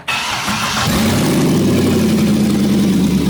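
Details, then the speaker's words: 6-litre V8 burnout car first start with exhaust manifolds refitted and nothing after them, no cats, dumping under the car; quick crank catches into a very loud, raw, even rumble, not bad at idle; healthy engine on open headers. "It's so loud! It's not bad at idle. Not too bad. It's okay, Remy. It's just 6 liters of fury. That's what it sounds like."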